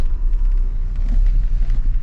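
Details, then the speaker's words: 1999 Chevrolet Malibu, sat about two years, warmed up and put in gear; low, lumpy idle rumble with an uneven, wavering beat; engine running rough, cause unclear. "all right well real quick you know it runs rough let's put it into drive"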